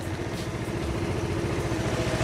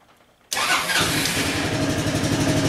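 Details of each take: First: Honda Helix CN250 250cc scooter salvage rebuild, after replacing bad fuel filter with OEM and adding fresh gas: steady, even engine pulse with no stumbling or bog; earlier hard starting and bogginess largely resolved. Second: Honda Helix CN250 salvage scooter, first start on a cold morning: catches after cranking, then runs with an uneven, lumpy beat that never settles. Rough running, probably from bad old gas.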